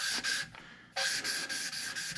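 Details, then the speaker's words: Hand-lapping valves on rebuilt V10 cylinder heads for a 1981 Dodge Ram swap: raspy gritty scrubbing strokes fade to near silence as the valve seats, then restart when lifted to draw compound back in. "d what you're listening for is for it to get silent until you get it silent try to keep it from coming out"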